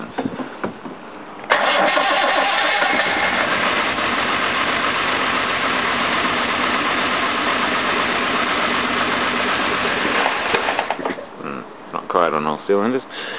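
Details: 1969 Jaguar XJ6 4.2L, first run of new engine, no choke (rag in air filter housing), front carburettor not passing fuel, timing off: short crank then uneven, shaky idle like missing cylinders; misfire.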